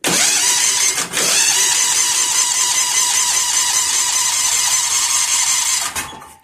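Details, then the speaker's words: Bad Boy mower after a new starter was fitted: the starter whirs and spins the engine steadily but it never fires. Crank with no start; a spark tester shows no spark. "All right, we got nothing. Let's uh let's check to make sure we got spark first."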